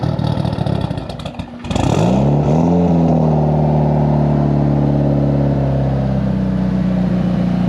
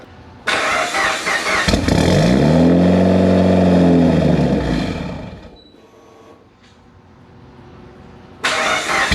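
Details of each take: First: Built Mitsubishi Evo 8 with Kelford 272 cams, new downpipe and exhaust, wideband wired in: cranks, catches and settles into a loud, choppy, steady loping idle, healthy. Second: Built Mitsubishi Evo 8 with Kelford 272 cams, battery repeatedly dying and now on a charger: starter spins the engine steadily about four beats a second for three seconds, never fires; crank no-start, cause unconfirmed.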